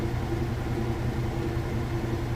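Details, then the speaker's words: Whirlpool washer with a heavy jeans and towel load, final spin at top speed: steady low hum, even whirring drum, no thumping or rattle; spinning smoothly and sounding great. "but right now you can see that it's spinning super fast nice smooth operation it sounds great"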